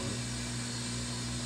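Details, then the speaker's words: Whirlpool Duet washer after drain pump filter cleaned to fix F21 code: empty drum near end of quick wash, fast smooth spin with quiet steady hum, no grinding or thumping, no F21 code returning; spinning normally. "this is spinning like it's never spun before what's going on"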